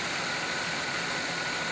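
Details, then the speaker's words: 2001 Pontiac Bonneville, engine idling after fixing the A/C compressor clutch whose outer plate rubbed the spinning pulley and ground: smooth, even hiss with no scraping or grinding; clutch now quiet and healthy. "right now you can hear it's really not making any noise which is good cuz right now that the outside part even though it was off was touching the spinning part a little and making a grading noise it sounded pretty terrible"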